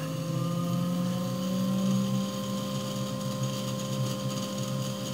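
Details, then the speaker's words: New 3HP ATC spindle on Grizzly G0704 CNC mill driven by Hitachi WJ200 VFD, first run, cold shop: smooth high whine with faint bearing noise, considered normal as bearings not yet run in. "that sounds pretty good I'm hearing a little bit in the bearings and my understanding is that that's normal because they have not run in yet"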